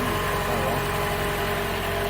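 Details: 2014 Toyota Camry four-cylinder with a hard, long-crank start and P0171 system-lean code, fuel pressure reading 49 (spec about 44-55): smooth, even idle with steady low hum, no misses, knocks or hesitation; runs normally.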